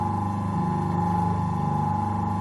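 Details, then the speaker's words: Rescued vintage McColl repulsion-start electric motor, temporarily wired up, running on induction: smooth, constant mid-pitched hum with no knocking or scraping; sounds as it should, normal running. "that's how it should sound"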